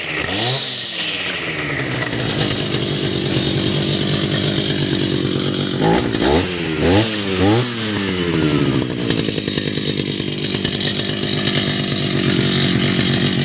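A sharp two-stroke buzz that revs cleanly up and down several times, then settles back smoothly; a healthy, responsive engine.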